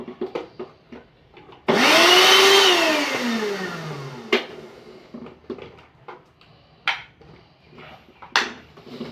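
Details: Kenwood mixer grinder from Dubai after repair. The motor spins up to a loud, steady high whirr for a couple of seconds and winds down smoothly: running normally.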